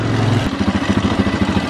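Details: Newly acquired pull-start single-cylinder four-wheeler on a cold day settles into an even thumping idle about eight beats a second with a light tick, which the owner says means it's running tight; normal idle.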